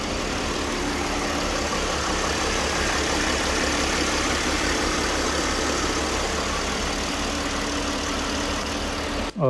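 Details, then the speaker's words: Abandoned 2007 Mercedes ML350, 80,000 km, started after fixing a fuel pump problem and mouse-chewed wiring, jump-started: steady, even idle hum with constant low drone, no stumbles or ticking; idles normally. "we managed to start the engine there was a problem with its fuel pump and had chewed wiring and"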